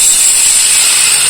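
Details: Kamolee cordless brushless battery angle grinder after regreasing its gears to cure a rough, rattly gear noise: a smooth high-pitched whir with a steady tone and no grating, so the gearbox now runs quietly and evenly.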